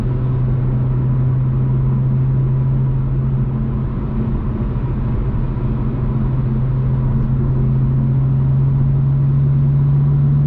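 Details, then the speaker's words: BMW M2 with M Performance exhaust and silencer inserts fitted (fiberglass wrap advised), valves closed, comfort mode, highway cruise heading to 3,000 rpm: steady, even, well-damped low hum without booming; drone reduced, earlier reading thought to be 72 dB. "All right, now we're driving with the silencers in. The exhaust is in the closed valve position and we're in comfort mode."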